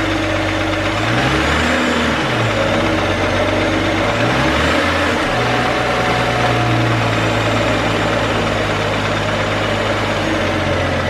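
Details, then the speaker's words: BMW 435i: petrol engine revving from idle to 3,000 rpm with a light, fast tick growing louder as revs climb; owner suspects a pulley, to be checked by removing the belt. "From 1 to 3,000 RPMs, if I put my foot on the gas pedal, you hear this ticking sound get louder and louder and louder, and it might be honestly one of the pulleys."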